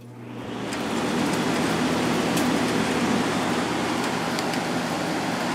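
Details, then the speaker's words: 2003 GE 12,400 BTU window air conditioner (Samsung-made), reassembled after cleaning, on high fan drawing 1.33 A and 160 W before compressor delay ends: fan spools up to a smooth steady air rush with low hum, no rattles; normal high-fan operation. "That's on high fan. Pulling 1.33 amps and 160 watts."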